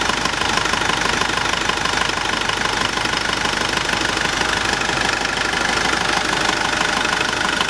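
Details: Nissan Navara YD25 diesel after rebuild, 30 minutes after first start; even, rapid diesel clatter holding steady at idle with no misses or stray knocks: normal healthy idle.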